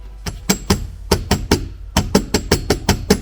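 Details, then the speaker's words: Renault Arkana trunk, rear right side: sharp dry metallic clicks in quick bunches from a loose dangling metal plate of unclear purpose; left side is quiet. "звуки здесь был от это металлическая пластинка она просто болтается честно говоря не понятно пока его предназначение"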